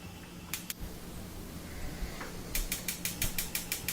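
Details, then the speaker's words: Wolf gas range burner igniter clicking nonstop, sharp ticks about six a second, after the burner lights; caused by accumulated corrosion, dirt or grease on the burner base, cleaned with a wire brush, no parts needed. "though the backbone was having trouble where it just kept clicking - so wanted to do the same procedure to clean that up"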